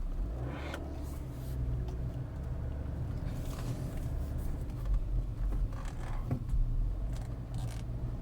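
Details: BMW E61 530xd LCI driving under throttle: low droning hum swelling and fading in slow waves, vanishing as soon as the throttle is released; owner suspects the gearbox, source unconfirmed.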